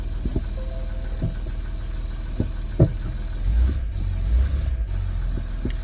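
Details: Ford Territory started after EGR delete, ABS fix and a module reprogram; no PCM or ABS faults on a later scan: engine settles into a low, steady idle with a few scattered clicks and knocks around it; runs smoothly, nothing abnormal.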